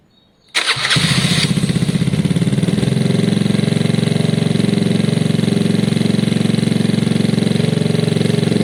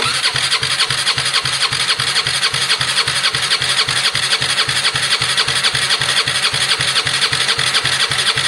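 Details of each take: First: Gilera DNA 125cc scooter with upgraded carb, first start, airbox not yet connected: fires immediately and settles into a quick, steady single-cylinder putter with no misfires; healthy normal idle, though it doesn't like revving yet. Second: Gilera DNA 125cc scooter, first start-up attempt after a carb upgrade, no airbox connector fitted: steady fast chuffing as the starter spins the engine over, working only intermittently from dirty starter contacts.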